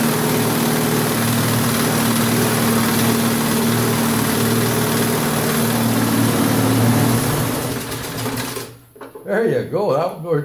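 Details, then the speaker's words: Briggs & Stratton 3.5 HP lawnmower engine, an old mower that had been sitting, running after no-start repair: a steady, busy drone without surging, then winds down and stops; runs good, possibly a little bead loc. "so I guess a little bead loc and it runs good"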